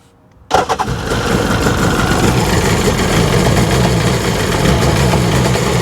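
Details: 2003 Sea-Doo RXDI after starter replacement: quick start then choppy, unsteady idle, engine in limp mode; owner wonders if spark plugs are fouling.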